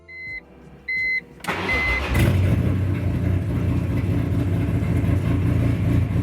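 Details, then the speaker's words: BMW M3 touring wagon with swapped S54 engine and Kassel Performance tune, first start after build with no rest of exhaust: two chimes, crank, catch, loud raw motorcycle-like but even idle; check engine and oil lights clear after 10-15 seconds. "Okay, well, it runs. It sounds like a motorcycle, and it looks like my check engine light and the oil light actually went away after it ran for about 10 or 15 seconds."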